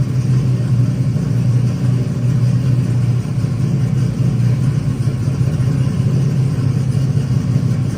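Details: Truck converted to 16-volt, started after a loose connector end with slipped detents was fixed: steady, even low rumble with no misses or knocks as it fires up and runs smoothly; normal running.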